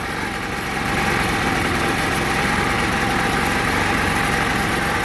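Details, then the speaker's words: Scooter after a new clutch and vacuum line corrected: steady, even buzzing idle with no stumbles, misses or surges; best it has run so far. "probably the best this thing has run so far"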